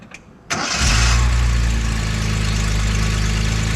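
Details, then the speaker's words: Datsun 240Z after repair: vacuum regulator and stuck EGR valve (internal vacuum leak) fixed, carburetors, points and timing readjusted. Quick crank, catches right away, smooth steady idle with an even low beat. Normal start and idle. "got the carburetors readjusted got the get the points readjusted the timing and sit reset and thing runs great"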